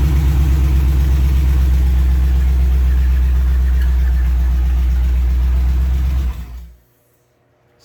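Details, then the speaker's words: 1938 Ford, 50 psi oil pressure: lumpy idle with a regular stumble about three times a second before shutdown, a dead-cylinder misfire. Owner suspects a sticky injector from sitting; fuel rail had been drained. "misfiring for some reason might have a sticky injector from from it sitting"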